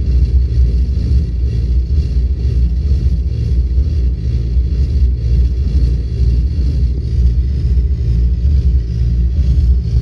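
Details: Volvo 8700 bus diesel with ZF Ecomat automatic that won't engage neutral at idle: deep, heavy rumble dragged to very low revs, labouring near stall as the gearbox holds drive.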